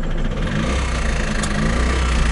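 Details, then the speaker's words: Trabant 601 two-stroke with a cheap flea-market engine, which briefly seized: a rough, heavy low rumble at idle with an uneven knocking thump. Crankshaft bearing failure, engine finished. "Der Motor ist blank. Lagerschaden."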